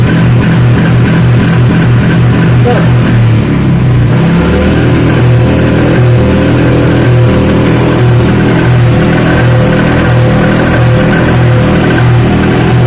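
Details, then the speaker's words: Honda Vario 125 injection scooter, bodywork stripped, injection light blinking 8 times (TPS fault): engine revs unevenly, stumbling, with exhaust popping as the throttle opens; TPS sensor found tampered. "Wis, suaranya gak enak, berundung berebet, nembak."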